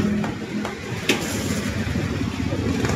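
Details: Honda Beat scooter that would not start, after carburetor cleaned (ultrasonic) and reinstalled, carburetor the only work done; small engine putters at steady idle without stumbling or dying, runs cleanly.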